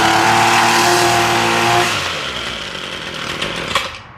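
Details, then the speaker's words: Ryobi weed eater that runs only on half choke, choke off: two-stroke buzz runs briefly then sags and dies unevenly, won't idle; owner suspects old fuel, first step draining fuel. "Put the choke off. And you can hear her. She tries to run, but she doesn't run very well."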